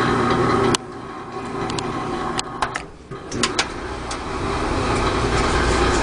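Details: Whirlpool LE5650XMW2 dryer running with a steady hum plus a loose, irregular rattle and scattered clicks; blower wheel checked fine, the cause turned out to be the idler pulley.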